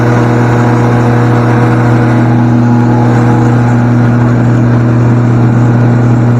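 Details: Natural gas generator converted to gasoline, run from 5-gallon can with enclosure doors closed, sitting on a pallet: steady even low hum, no misses or knocks; normal running.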